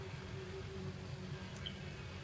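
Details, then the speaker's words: Waspcam Tact action camera: one brief high chirp over low background hum when the record button is pushed, with the red light blinking, confirming video recording has started normally. "you'll hear that little chirp and you'll see that little red blinking light come on that shows that you are recording a video"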